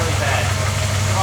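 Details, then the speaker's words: Ford AU Falcon XR8 V8 with aftermarket cam, after handling the camshaft position sensor while chasing a belt squeal: lumpy, uneven idle that shakes the whole car, rough but not misfiring; poorly seated sensor plug. Rough idle from loose sensor connector. "idling very bad. The whole car's going."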